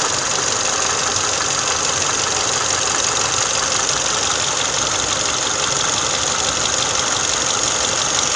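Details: Engine idle after an oil change to Motul 5W30: steady, even hiss-like idle with no distinct tapping; the valve knock is gone, valvetrain quiet and healthy.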